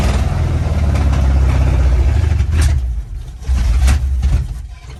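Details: 1972 Chevy K10 4x4 with a 350 V8, sitting 20+ years: rumbles unevenly while the throttle is pumped, then sags and dies, won't keep running; owner suspects the fuel pump isn't pumping, worsening with driving.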